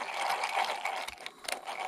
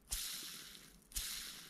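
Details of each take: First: Mountain bike bottom bracket bearing, removed and soaking in degreaser, spun by hand: dry gritty uneven scraping as old hardened grease loosens; bearing shows some play; gritty bearing from hardened old grease. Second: Mountain bike bearing (headset/bottom bracket type), cleaned and serviced: two hand spins, each a soft, even hiss fading over about a second with no grit or clicking; ball race runs freely.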